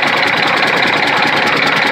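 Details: Detroit Diesel Series 60 11.1 in a Freightliner FLD120, hard cold start with bad injectors; sharp fast regular knock over clatter at idle without throttle; owner suspects sticking valves, unconfirmed; diesel engine knock at idle.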